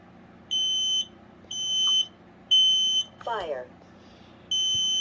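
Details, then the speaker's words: New Kidde 3050-VDS10-A sealed lithium smoke-only alarm, test button pressed: loud high-pitched chirps about half a second long, repeating roughly once a second in an even pattern; normal test tone. "yeah it's normal it's just like my 2070."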